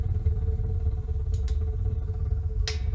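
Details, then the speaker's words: Homemade wood-burning garage heater with new burner at maximum air flow: deep, uneven pulsing roar under a steady hum, the burner flame buffeting strangely; cause unclear. "I think I'm going to turn it down don't like the sound of that very weird what in the hell let's turn it on down"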